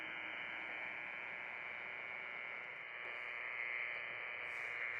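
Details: Amateur radio noise hunt from a pickup with a Radtel handheld near a suspect power pole, signal 5 bars vs 1 as antenna moves: steady hissing raspy buzz, no voices; power line noise suspected from that pole, unconfirmed on UHF.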